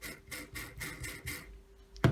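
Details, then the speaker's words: Kango 426 110 V SDS hammer drill disassembled, 629zz armature bearing rolled by hand: dry, gritty rasp about three times a second; bearing on the way out, fan rotor had detached causing armature overheating. "and then once we get as we get it apart you can hear the bearing"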